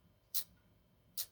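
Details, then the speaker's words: Ford EEC IV distributor rotor button shaken by hand: two crisp, dry ticks about a second apart from loose riveted contact plates rattling; should not make noise unless there is a loose connection. "why do rotor buttons make that noise? This is for a Ford, but it shouldn't make that noise unless there's a loose connection."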